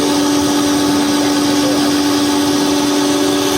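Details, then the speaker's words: 2011 Toyota Camry Hybrid, over 10 years old: steady loud droning hum with airy hiss from a worn AC compressor; fix is replacing the compressor, evaporator and condenser and flushing the whole AC system. "คือเสียงเครื่องส่วนใหญ่่รถไฮบิดเสียงเครื่องจะเงียบมากครับแต่ที่มีเสียงดังเกิดจากคอมเพรสเซอร์เสื่อมสภาพครับ"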